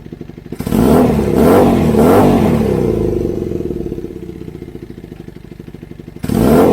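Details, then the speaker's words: Kawasaki KZ440 with new custom high-mount exhaust: quick revs, and as they fall a rapid pop-pop-pop; exhaust leaking at a header joint only spot-welded, still to be welded up. "It's only spot weld here. So we've got some exhaust leaking here. So that's what that little pop, pop, pop, pop is."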